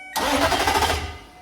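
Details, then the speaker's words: 2005 Nissan Titan starter hot-shotted with 12 V from a test tool, key off so it won't start: short whirring crank under a second with no firing, then wind-down. "and you can see it tries to crank it I have the key off so it will not start"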